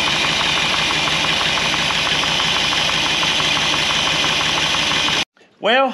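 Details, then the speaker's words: 1964 Buick Electra 225 V8 first start after a fire, with holed, charred exhaust: light, uneven tapping knock from inside the running engine despite strong oil pressure; cause not yet found, possibly something heat-affected came loose. "I think it's on fire again yep that's a knock what crazy it's got such good oil pressure and look at thing it's pumping strong"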